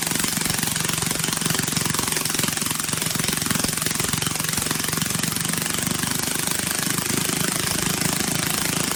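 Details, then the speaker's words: Briggs & Stratton 18 HP Vanguard twin, choke hand-held because it vibrates shut, otherwise running like a top: very loud, harsh hammering exhaust with a constant rattling clatter at steady speed from a broken-loose muffler baffle. "But wow, this thing is loud. Don't know if it came across on camera."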